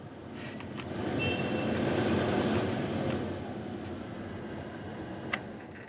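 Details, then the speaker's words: Jeep Wrangler TJ after off-road trail damage, tested before refitting the cover. Fan spins up to a smooth, steady airy rush without rattles or squeals; the blower is running normally. "It is running. So that's good. At least that works."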